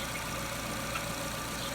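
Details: Jeep Renegade petrol idle after lambda (O2) sensor replacement: quiet, smooth, no hunting, misfires or dropouts. The new sensor's millivolt signal isn't stuck; the car had been stalling in traffic.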